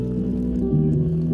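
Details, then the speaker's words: 2005-2013 C6 Corvette passenger lower door speaker playing music after replacement: solid clean bass with no buzzing; the old speaker rattled badly on bass. "hear the bass but it's not a bad rattle might be hard to hear but that's way better alright"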